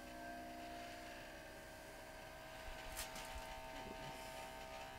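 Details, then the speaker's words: Skoda Octavia oil change via 12 V pump extracting through dipstick tube with 8 mm silicone hose: steady electric buzz turns rougher as oil starts flowing; pump running normally. "пошло слышно как ему печать он более грубо стала работать выливаем все масло что есть"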